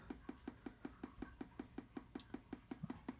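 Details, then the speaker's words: 210 I/O board at power-on, heard close to the speaker: a steady train of sharp clicks, about five a second, while the screen is stable and reset works; cause unknown. "I'm gonna get close to the speaker here you can hear the clicking noise"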